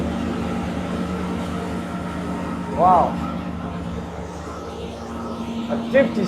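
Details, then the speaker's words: Numbers-matching Mopar 340 V8 at full load on the dyno, around 5,700 rpm: steady, even drone holding a firm pitch with no knocks or ticks. Oil pressure good and everything smooth; healthy. "57, we're still climbing. It's good. Oil pressure seems good. Sounds good. Sounds good. Yeah, no noise. Look, Everything's smooth."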